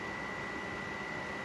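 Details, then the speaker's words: 1996 Polaris Magnum 425 4x4, powered by a booster box, suspected past overheating: constant airy rush with steady high whine, no rhythm or knocking; cooling fan running flat out, cause not determined. "That fan is ripping, dude. Yeah, it is."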